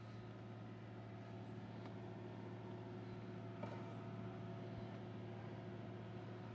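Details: Newly installed Webasto diesel heater in JDM Isuzu Elf 4WD camper, fuel pump by side fender; steady low hum with faint uneven pump ticking underneath; running smoothly, healthy, normal running.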